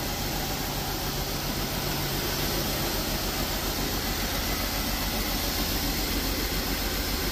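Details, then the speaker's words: Jeep XJ freshly built 4.0L: steady idle with fairly even beat under heavy hiss, oil pressure now showing; idling better, still missing but far less; improved idle. "oh it fixed itself and it's idling better yeah maybe maybe it just had to be woken up it's still missing but not as bad no nowhere near as bad"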